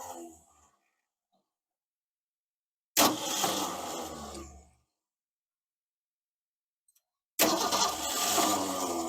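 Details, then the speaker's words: 1969 Ford Falcon parked since 1985, first revival attempt: starter spins the engine in two bursts, about three beats per second, never fires; spark confirmed strong, cranks without starting. "That's well going to turn on the ignition. We'll crank it over and see if we get sparks."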